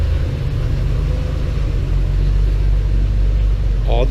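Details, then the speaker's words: Porsche 911 flat-six restarted after 10 years of storage, with a new fuel pump and filter, a temporary fuel supply hose fix and a cleaned tank. Low, steady, even idle with no knocks or misses, smoother than expected; normal idle. "Okay, this should start. Smooth, really. Much smoother than I thought for not having run in."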